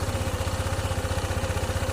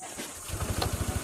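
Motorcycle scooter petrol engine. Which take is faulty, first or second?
first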